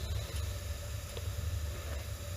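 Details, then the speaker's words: AO Smith water heater with low NOx burner after pilot assembly replacement (rat-chewed spark wire): burner ignites cleanly to a steady low gas roar with no popping, fluttering or roughness; normal burner operation. "that's the sound of success right there nice nice warm fire and you can hear so this is the the low nox burner"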